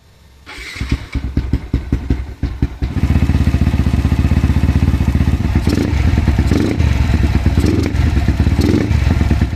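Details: Modified Yamaha LC135 motorcycle with 62mm bore kit idling with loud busy top-end clatter despite repeated tappet adjustments; cause not confirmed.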